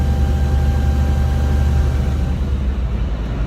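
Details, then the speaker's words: Volvo VNL 670 truck with D13 diesel at about 630,000 miles: steady high whistle over the deep diesel rumble that appears whenever the engine works hard under load, then cuts out; boost air leak. "problem with that noise is that is that it comes on every time the engine has to work hard every time at under a load"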